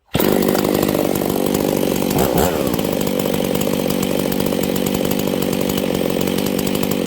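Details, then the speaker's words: Husqvarna 272/268/266/61-chassis chainsaw screaming at steady high pitch at full throttle, no four-stroking; running lean from crankcase seal air leak behind oil pump. "all right okay friends we have a hijet issue did you guys hear that this thing is going super lean okay"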